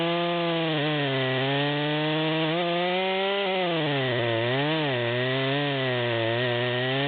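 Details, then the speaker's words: Stock rear-handle Stihl MS200, near-new, high-speed screw at the stop, with an oversized 25-inch bar in a large log: a high, steady two-stroke scream sags and wobbles in pitch mid-cut; bogging as it strains to pull the chain. "we're about a third of the way down at this point and you can see it's struggling to pull the chain"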